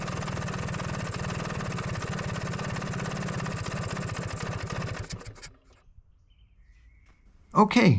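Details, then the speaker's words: Vespa PX two-stroke, fuel valve closed at idle: even idle fades and quits about five seconds in without the former flare to crazy rpm; idle mixture no longer lean, normal shutdown. "engine dies, without increasing the up RPM to crazy levels as before! no more lean mixture in idle!"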